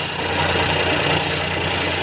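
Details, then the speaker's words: Geely Azkarra 1.5L petrol engine idling roughly with uneven beat and white smoke; scanner shows cylinder 1 and random misfire detected, caused by wrong spark plug used, fixed with NGK replacement. "Misspiring o detected cylinder one random per detected so meron problema ito guys so kaya pala nagan kwento ito guys nagkakaroon ng mispiring"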